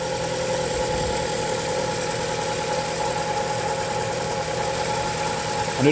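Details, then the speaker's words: 2011-2015 Chevy 1.8L at idle after timing belt, valve cover gasket and spark plug replacement: constant high whine over a steady idle, which the owner expected from the very tight new timing belt; engine otherwise sounds good. "knew that belt was gonna have a little noise because that thing is tight as hell."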